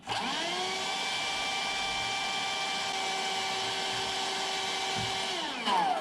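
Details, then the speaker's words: Bosch 2in1 BBHMOVE5N/01 cordless vacuum after conversion to a DIY Li-ion 18650 pack with BMS (0.3 ohm, 19.2 V, not fully charged): steady, high, even motor whine that spins down at the end; huge difference, strong full-power running. "a huge difference I can tell you that"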